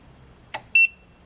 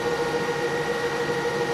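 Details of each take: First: EcoFlow Delta Pro trying to start a 1 hp irrigation pump: single short high beep between faint clicks as the inverter trips with error code and shuts off; inverter overload alarm, it cannot start the pump. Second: EcoFlow Delta Pro running a 1 hp irrigation pump at about 1780–1850 W as pressure builds: steady high fan whir, constant tone, no wobble or rattle; cooling fan working hard but normal.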